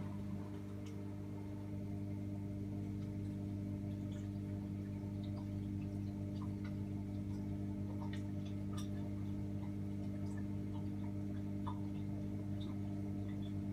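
Steady motor hum with scattered, irregular light clicks over the top; an intermittent clicking during the wash, cause not yet clear.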